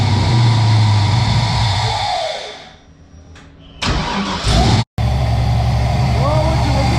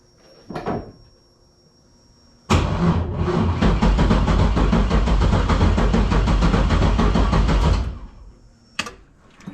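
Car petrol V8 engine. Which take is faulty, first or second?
second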